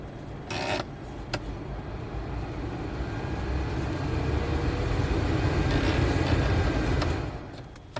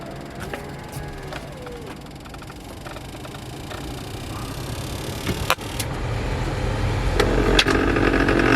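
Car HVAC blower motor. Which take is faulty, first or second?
second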